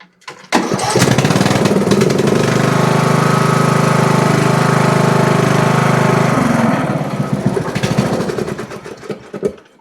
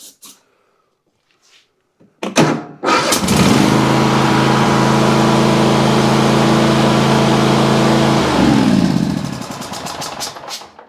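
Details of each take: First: Riding mower with a no-start caused by the throttle linkage pressing on the choke: after readjusting it so the choke is released, the engine catches after a short pull, runs steady and even, then winds down cleanly. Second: Riding mower or zero-turn that cranks but won't start: cranking catches and fires into an even running buzz after gas is poured down the intake, pointing to lean mixture, poor fuel delivery or a choke not working.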